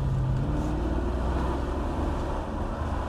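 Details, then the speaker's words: Jaguar XK8 V8 after a hole in the exhaust next to the manifold union was welded over: a low, steady, even drone with no puffing or ticking, very quiet and refined. Exhaust sealed, engine silky smooth. "she's very quiet and refined in fact there's practically zero exhaust tone whatsoever but that's probably what you're expecting in your gentleman's Cruiser Jag XJ8 it really is Silky Smooth though"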